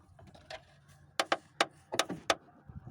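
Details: Lada Priora front right strut tower, with climate unit moved aside: sharp irregular crunches and creaks as the panel flexes at a visible crack, the source of the knocking and grinding; later repaired by welding.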